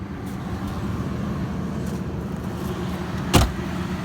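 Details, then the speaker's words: 1997 Ford Crown Victoria P71 with V8, rear-wheel drive, just bought from an elderly couple, idling: low, smooth, even rumble with no ticks or stumbles and one brief clunk partway; it purrs and runs perfectly. "Okay, here we go. Let's fire it up. Listen to that thing purr. It runs perfect."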